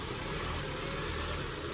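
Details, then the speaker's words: Honda with code P0507 (idle higher than expected): warm engine with an uneven, hunting idle rumble and steady hiss. The fast idle air valve is stuck open at 185°F drawing extra air, and disconnecting it smooths the idle. "RPM is going up and down and let's see what happens when I disconnect the air ball"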